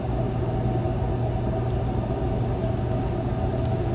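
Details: RV Asko clothes dryer after fuse holder repair, heard outside at the vent: steady low rumble of air and motor, even with no rattles or scraping; running normally, vent flapper open.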